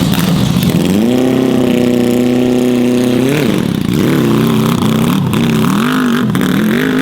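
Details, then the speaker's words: Yamaha R6 motor swapped into a Yamaha Raptor quad, first start with a new exhaust: loud, raspy revs rising and sagging unevenly and hanging before settling back; running rough, owner suspects unequal-length headers. "it does not sound like it's running good it might have slightly [ __ ] up not making the headers equal length which I think could be throwing it off"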